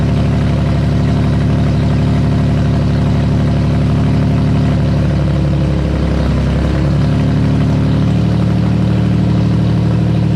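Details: Nissan VQ35DE swapped into an S13 240SX, a first engine build refreshed with new bearings, gaskets, rings and seals: steady even low idle with a brief dip and recovery around six seconds, smooth and healthy.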